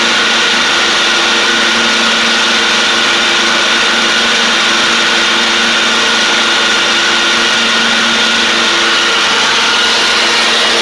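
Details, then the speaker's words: John Deere D140 riding mower, once blowing fuses, with nearly new spindles: a steady engine drone with a constant blade whine and no scream or grind. The spindles are a little loud but quieter than before; normal deck running. "it's just I guess the way that those spindles are they're just kind of loud it has like I said basically new spindles on it it does sound a good deal better though a little bit quieter which is good"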